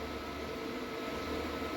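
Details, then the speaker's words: Ariston washer-dryer repaired for an F15 error (dry duct fan motor and dry heater elements replaced), main PCB fine, blowing hot air. Even airy rush with a steady mid-pitched hum, no rattles or pulsing. Normal dryer blower operation. "now this machine is main PCB everything perfect no initial now it's blowing very heat yeah"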